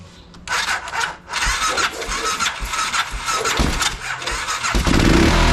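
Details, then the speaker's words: BMW F650 (Rotax 652cc single) first start after its carburettor was rebuilt and refitted; it catches, stumbles and fires raggedly without settling; owner says it runs extremely rich and is unsure which way the air screw should go. "extremely rich and I'm not 100 sure which way the a screw valve should go now"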